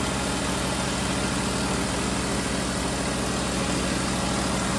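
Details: 2009 VW Rabbit 2.5 five-cylinder (07K), manual, leaking oil fast after dealer replaced vacuum pump, run with fresh oil to find leak: rough clattery idle with uneven mechanical rattle over harsh roar; shut off, apparently fresh oil at vacuum pump screws.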